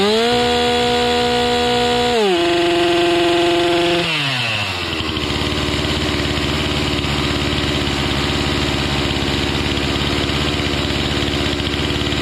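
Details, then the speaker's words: Stihl MS 261C M-Tronic two-stroke chainsaw after a carb kit rebuild and M-Tronic reset, chain off; drops from high rev in steps to a fast even buzz, never a proper low idle; owner suspects too much fuel. "But uh it feels like it's feels like it's just not idling down low for some reason. It's just getting too much gas or something."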